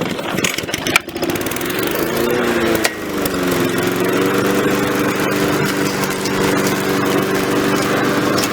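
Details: Repaired Victa mower cutting grass with the deck lowered. It catches, then settles into a steady, even drone that holds firm under cutting load; running properly.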